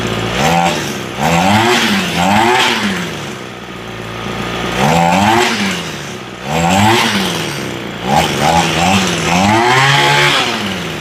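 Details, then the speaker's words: Echo SRM 225 two-stroke trimmer after carb rebuild: revs up cleanly and drops to steady idle repeatedly with no stumble; normal running. "She sounds pretty good now."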